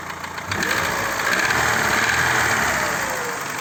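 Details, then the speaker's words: Daewoo Lanos 1.5 at idle: steady, quick knocking about four a second; not fixed by replacing hydraulic lifters, it was piston slap from cylinder wear, cured by boring the cylinders, new pistons and rings, crankshaft grind and new bearings. "Маємо ось такий стук в Ланусі 1,5."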